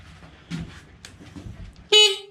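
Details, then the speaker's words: Honda XR80R street-legal dirt bike build, newly wired horn tested with blinkers and light switch: one short firm buzzy horn blast, steady pitch near 400 Hz, clean cut-off; horn works. "horn's working, and this little switch right here just turns the lights off and on."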